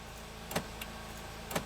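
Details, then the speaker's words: 2009 Nissan Sentra 2.0L with engine running, dash and headlights flickering: sharp clicks about once a second from a faulty add-on interface module cycling a relay; clicking and flicker stop when the module is unplugged. "now once i disconnect this the click will stop so this is disconnected and watch up there our lights on the dash are no longer flickering"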